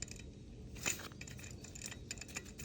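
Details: Used, possibly remanufactured serpentine belt tensioner just removed from a daughter's commuter car, pulley hand-spun: dry, rattly scratching with metallic ticks as it coasts down, unlike the stable new one. Worn tensioner pulley bearing, being replaced.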